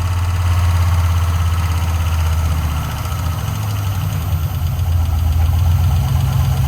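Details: 1968 Ford Bronco swapped to a Chevy LS engine with Terminator X, first start: steady low idle with a light, fast ticking that follows engine speed, caused by four bad lifters, since replaced.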